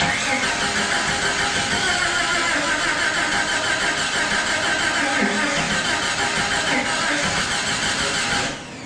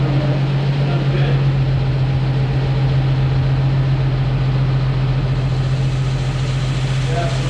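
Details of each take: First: Jeep YJ (Jurassic Park replica) first start after body and drivetrain reassembly: steady cranking about three turns a second, never firing; crank no-start, ignition timing 180 degrees off. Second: Jeep YJ after frame-body reunification and rebuild, distributor turned 180 degrees after no-spark first start attempts; steady low hum at idle with even beat, no knocks or misfires; normal idle.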